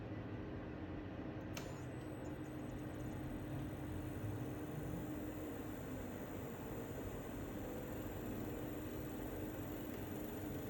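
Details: LG LP1419IVSM Dual Inverter portable air conditioner at startup: an aggressive, coarse, buzzing rattle from the compressor under a steady fan and compressor hum.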